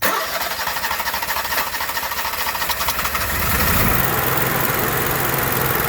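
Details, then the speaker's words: Onan Marquis Gold 5500 generator after carburetor cleaning and high/low mixture adjustment, no parts replaced, runs steadily, picks up slightly as trimmed, then holds an even note with no hunting or surging; running right. "so now you can see we got a perfectly running good onan and with zero cost no parts at all just take it apart clean things adjust things make things and we're back on the road"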